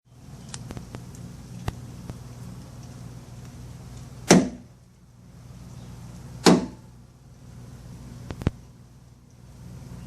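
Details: Jeep Wrangler JK rear swing tailgate gives loud, sharp pops as it opens and closes, heard over a low steady engine hum; simple fix uses a T30 Torx bit on the tailgate screws.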